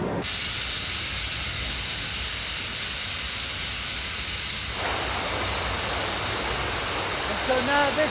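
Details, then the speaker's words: Dam penstock being filled gradually through a smaller pipe: strong steady high-pitched hiss as the last air at the top of the pipe escapes through the vent valve, pushed out by water; normal air release valve hiss. "I can now hear a different sound starting and that's the last of the air in the top of the pipe being shoved out by the water there's an escape valve up there and you can hear it hissing"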